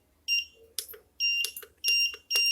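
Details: Godox SK400 studio strobe, previously dead and home-repaired by owner, now with drooping power and blinking: short high-pitched beeps in bursts with clicks between, four groups in under three seconds; E3 error beep, likely faulty repair or dirt.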